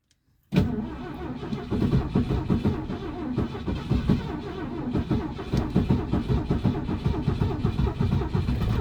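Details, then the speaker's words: Classic Ford at -30 degree cold start: the starter churns in uneven bursts for about eight seconds with no catch or rising engine note. Cranks but will not start. "Oh, wait. Oh, she wants to so bad. I don't know if she's going to go, though, to be honest."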